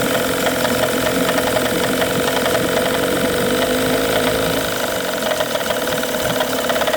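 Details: Tohatsu 18hp two-stroke outboard at steady idle with a hard, repeating knock riding on the running note; cause unclear.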